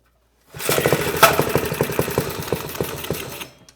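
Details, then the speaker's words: Rescued "Piglet" minibike with small Briggs & Stratton single-cylinder, low compression, just fired on a little choke: uneven burbling putter, irregular firing about three beats a second; cold, rough, rich running. "oh not a lot of compression it fired did not expect that oh oh a little choke we got some barbles"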